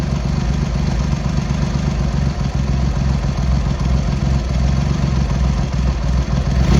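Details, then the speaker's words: Triumph X75 Hurricane, rebuilt carb rack just refitted, cold on half choke at throttle stop: low, lumpy idle with uneven beat and occasional stumbles; pilot screws thought to be 7/8 out, suspected to need tuning. "Probably do need to give it a bit of tune."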